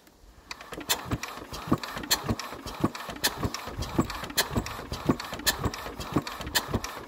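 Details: Enfield twin-cylinder diesel cranked with an 18mm union cracked open to check fuel delivery. A slow, uneven chuffing crank about 2.5 beats per second never catches; there is a major fuel leak, only a drip of diesel seen.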